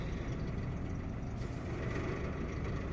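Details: Opel Astra J 1.4 petrol at idle, engine shaking, check engine light on; low idle with faint unevenness, misfires counted on cylinder 1 only, coil removed and inspected for a possibly cracked housing.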